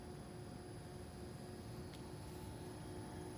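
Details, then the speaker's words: New Armstrong Air AC condenser, about 2–3 weeks old, running, possibly in dehumidifying mode: a soft, even low hum with faint steady tones and no rattles. Quiet, healthy running. "listen how quiet that is yeah I'm I'm curious to see on how well this thing will perform"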